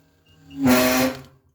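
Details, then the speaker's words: Gas water heater whistling, buzzing and rattling with water hiss when the hot tap is opened only slightly; a dripping tap suggests a loose worn faucet cartridge, to be replaced. "идет вот такой звук гол гол дребезжания вот такой вот звук появляется у нас кола если у вас кран немного если подкапывает кран то неисправность может заключаться именно вашим кране"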